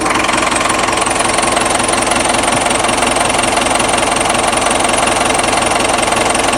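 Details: Diesel idling after a repair, as a leak check: steady, even clatter at about three beats a second with no misses or stumbles; a healthy idle, no leak so far.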